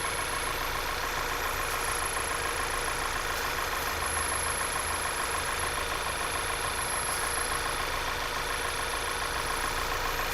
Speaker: what happened there you hear that high-pitched squeal